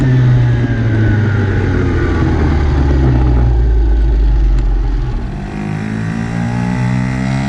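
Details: Dumpster-found Chinese 48cc quad with new fuel lines, started by jumping the starter solenoid since the key is disconnected: revs up and drops back cleanly, pitch rising and falling with throttle; runs and responds properly.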